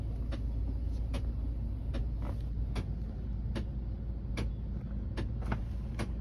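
Sharp creaks or clicks come at uneven intervals, roughly one or two a second, over a steady low hum; an A/C-related noise, cause unknown.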